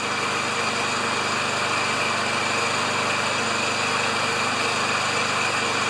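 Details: Self-propelled Lawn-Boy mower with Kohler engine, bought with a non-working choke, runs with a steady, even buzz, no surging, stumbling or misfires; sounds great, normal running.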